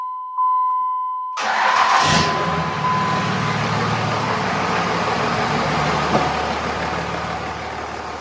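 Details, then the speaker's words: 5.9 Cummins diesel in a truck, sitting about two years, first start after reinstall: short beep, then it catches almost at once and settles into a steady even idle clatter. Normal start and idle. "place your bets is it going to start is there anybody in here to bet three it's doing [Music] things it runs [Music] what a good feeling"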